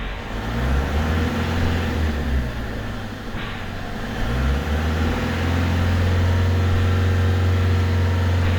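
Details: Peugeot 307 2.0 HDi diesel showing fault codes P1112 and P0204, cuts out while driving; lightly revved, revs swell and sag unevenly and won't hold 2000 rpm, pointing to clogged injectors; crank (TDC) sensor and fuel filter were later replaced.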